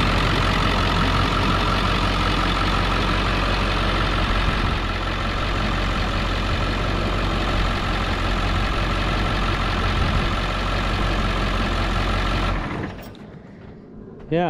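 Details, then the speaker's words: 23-year-old diesel work truck with 134,000 miles, bought at auction. Its batteries were dead and needed jumper packs; possible valley leak and slight oil pan drip. It started right up, drove and shifted fine. Even, rapid diesel clatter at a steady, healthy idle. "but uh it starts right up and it drove fine it drove fine all the way here it shifted through all the gears good um nice headlights uh started up yeah let's see it this is a good motor"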